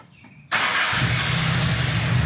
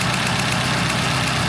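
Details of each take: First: 1972 Celica with a hybrid 18RG/18RC engine, after rod bearings, gaskets, clutch and PCV work. The idle is better, with a large vacuum leak suspected before. It cranks briefly, catches at once and settles to a steady, even idle: a normal start and idle. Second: 1972 Toyota Celica, hybrid 18RG/18RC engine at idle after PCV and gasket work: sharp, even ticking about seven to eight times a second over a rough petrol idle; believed to be an exhaust leak at the front manifold runner despite a new gasket.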